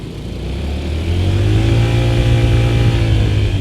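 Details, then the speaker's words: Honda ADV 160 scooter, about 1,000 km, after CVT service for Bromo dust and heat-discoloured, scratched CVT bowl that had caused weak, juddering pull-away: smooth drone climbing steadily under load with no slip or shudder; pull now as from factory. "Ini baru enak. Gini loh ADV 160 harusnya dari pabrik."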